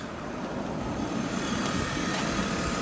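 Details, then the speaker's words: BMW E39 idling smoothly and evenly with no knocks, ticks or hunting after thermostat and water pump replacement; left running about 20 more minutes to check it no longer overheats; normal idle. "okay backs it up so far things sounds good let it run for another 20 minutes keep an eye on it all right"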